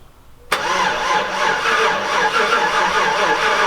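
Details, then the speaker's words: Chevrolet Silverado Z71 after top-end rebuild (collapsed lifter, DOD delete), first start, no coolant yet: sluggish steady cranking for over three seconds, not catching. Fuel pump fuse had been pulled earlier to break the crank bolt free with the starter; crank no start. "It's not cranking super fast. Um, didn't pull any fuses, I don't think. Yeah, I pulled the fuel pump fuse when I first got it to try and break the bolt free."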